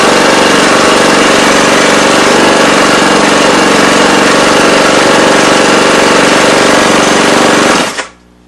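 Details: Honda GCV190 on a Husqvarna AWD mower after a carburettor float and needle service, new spark plug, fresh oil and new gas. Small single-cylinder runs hard with a fast, even clatter, then cuts off cleanly: normal running.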